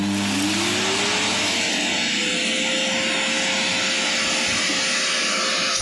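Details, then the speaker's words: Samsung Twin vacuum cleaner after its burnt motor was replaced: the motor spins up with a rising whine to a steady, even high pitch without rattle. The vacuum runs normally. "[музыка] все работает"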